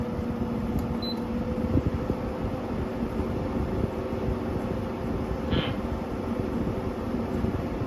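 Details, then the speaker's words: GE 6000 BTU window air conditioner on high fan speed: constant airy rush with a faint steady high-pitched tone, no rattles or grinding. Indoor fan is quite noisy; loud fan noise on high. "The indoor fan on this AC is quite noisy. It's not the worst thing in the world, but I only really run this AC on high if I'm out in the room."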